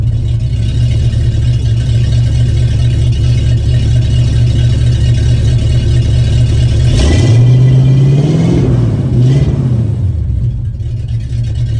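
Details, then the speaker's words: 1974 Ford F-250 V8 after fitting two new mufflers, mocked up and not fully bolted: deep even idle rumble, clean swell on throttle blip then settling, no knocks or rasp; street-legal yet good tone — healthy exhaust note. "Yeah, that's perfect. That's the sound I was looking for. It's still got a good sound to it. Still got a nice tone, but it's not so overbearing where I'm not going to be able to get it past with the DMV."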